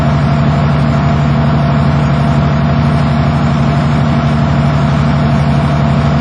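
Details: Diesel school bus idling as air builds, gauges near 100 psi: deep, steady low rumble with no knocks or misses; healthy engine.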